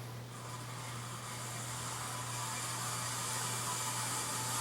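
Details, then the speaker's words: Circa-1994 Casablanca Montclair ceiling fan with heavy blades running with a loud, rough hissing whir over a steady low motor hum from worn bearings; flywheel possibly cracked, needs replacing. "You can hear the super loud bearings. And because of the heavy blades, the flywheel is like cracked or something, so it needs to be replaced."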